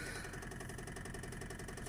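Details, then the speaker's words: Toyota 7A-FE after refilling hot oil, idling; quick regular ticking about seven a second from the cylinder head, owner suspects a valve lost its keepers from oil starvation and is being tapped by the piston, compression test pending. "Я думаю, что это клапан рассухарился из-за масляного голодания. И теперь клапан просто в клапанном канале вот так вот вниз падает, снизу его поршень раз вверх."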